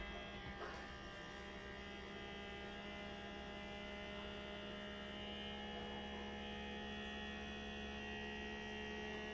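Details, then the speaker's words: Small handheld rechargeable vacuum sealer on a jar of dehydrated shredded potatoes, run about 60 seconds until its sound changes: soft, steady motor hum with faint whine shifting slightly as suction builds; normal vacuum pump operation. "And then once you hear it change sounds, you know it's done. I like to give it a good 60 seconds."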